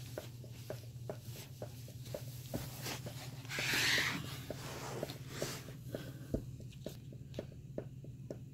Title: Paradigm Servo 15 v.2 Heartbeat Rhythmic Clicking Noise